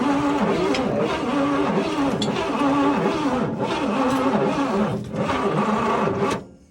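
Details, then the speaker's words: Oldsmobile Toronado with a 425ci engine, long stored on a farm, after a suspected faulty starter relay under the dash: the starter cranks it at a steady, lumpy beat but it never fires, with no spark. "i've got some cranking over did you put any star trek boots no no i was checking it's got no spark no spark okay"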